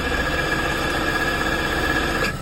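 A running engine with a steady mid-high whine and rough droning over it: a noisy A/C compressor.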